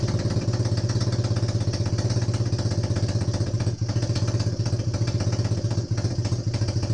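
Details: Honda CB250N Superdream twin, rebuilt from boxes of bits, with new spark plugs, warm restart with no starting gas after choke was reduced. A steady, even low thump at idle with a slightly clattery top end and no miss. Normal warm idle, though an oil leak appears at the front of the engine.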